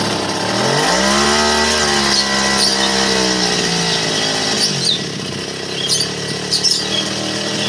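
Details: TD40 two-stroke grass cutter, over 10 years old, after new crankshaft bearings, oil seal and clutch drum (it was noisy with crank play): revs to a steady high buzz and drops back smoothly, no crank knock or rattle. Runs normally.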